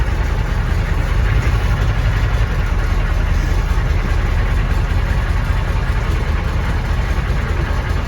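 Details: 1993 M998 HMMWV, 6.5L NA Detroit Diesel, cold start before teardown: deep uneven thumping knock under diesel clatter at idle; engine ingested water in a crossing and lost compression, owner assumes hydrolock bent a rod, unconfirmed.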